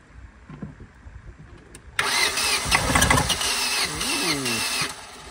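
Starter whirs with an uneven chugging beat about three or four times a second, but the engine never catches. Cranks, won't start. Cause suspected, not confirmed.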